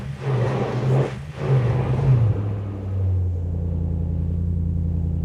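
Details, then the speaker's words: Lexus GS400 with 372,000 miles, after a timing belt job and an oil additive treatment: throttle blips, then a smooth low idle with no tick or knock; the earlier internal engine noise is gone; normal idle. "The engine doesn't make any noise at all now. So, I'm telling you it wasn't from the timing system. It was definitely internal engine noise. Honestly, I admit I don't understand. There's no more noise."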